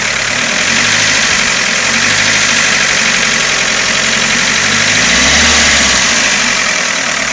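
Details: Freshly rebuilt Toyota 4AGE 20V petrol engine, about 500 miles since rebuild on break-in oil (owner thinks 20W50), no oil use or smoke, idles with light quick ticking; owner suspects valves or VVT pulley, not confirmed.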